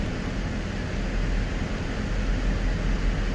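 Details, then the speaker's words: 2005 Dodge Magnum after front rotor replacement, idling warm at about 185°F with fans set to switch on at 185: steady even rushing whoosh, no rattle, scrape or wobble; radiator fans running normally. "the fans are set at 185 so I don't know if you can hear it but the fans are on right now and I believe they'll kick off at around 180 so we'll let them run for a second while we wait for that"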